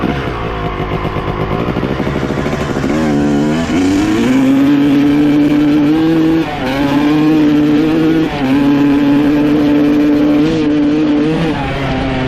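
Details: 1995 Honda CR250 two-stroke with stock jetting, needle clip raised one notch to second from top (leaner), power valves confirmed opening: revs rise then sag and flatten repeatedly; slightly better but still bogging, cause unknown.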